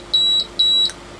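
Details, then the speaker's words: Agilent E3633A linear bench power supply under repair: when output is switched on it goes into error mode, showing -0.4 V and constant current mode; two sharp high beeps half a second apart in a quiet room, error signal. "and as soon as i go output output on it basically goes into error mode i'm getting minus 0.4 of a volt on the display but that could be calibration and it's going in a constant current mode wow it's not happy"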